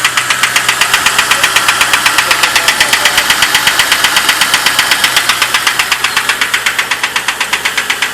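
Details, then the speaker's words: Ticking at idle, owner suspects bad lifters or oil pump: sharp, even metallic ticking about four per second over steady idle, sounding like valvetrain lifter tick; cause not confirmed. "hear the clicking hear the clicking of it s horrifying can't be that bad"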